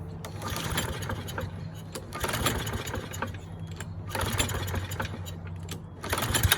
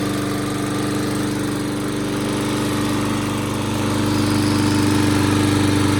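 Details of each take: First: Curbside Toro mower, model 20370, fired after a spray into the intake with the air filter off: a few weak tries, then it catches, revs for a couple of seconds and winds down to a stall. It starts and dies, judged a dirty carburetor. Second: Toro mower, model 20370, after carburetor cleaning, reassembly and fresh gas: steady, even single-cylinder drone at constant speed with no misses or surging. Now starts and keeps running instead of dying.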